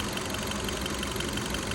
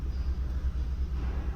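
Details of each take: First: 2015 Kia Cerato after replacing the faulty injector: steady, even idle with a faint regular injector tick, no stumble or shake; scan tool shows no more misfires. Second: 2015 Kia Cerato with constant shaking at idle: low rumble with an uneven, stumbling pulse every few beats, one cylinder dropping out; scan tool live data points to cylinder 4 misfire, later traced to a faulty injector.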